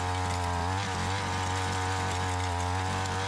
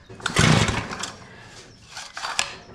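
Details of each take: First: Curb-found Tecumseh two-stroke Mantis-style tiller, warm without choke after carburetor adjustment, tilling in gravel: steady even buzz, then drops to a lower rattly note; runs cleanly and keeps going. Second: Curb-found Mantis-style tiller, two-stroke Tecumseh engine, no-start: a few sharp sputtering pops on rope cranking that never catch; engine spits but won't start. Owner suspects fouled RCJ8Y plug or too much fuel; starter dogs need cleaning.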